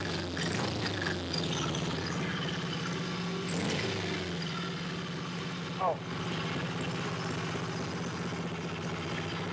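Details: Honda CB77 Superhawk twin at idle after an oil check: a loose, clattery rattle over the idle beat. The owner suspects the kickstart lever isn't returning fully, but is unsure.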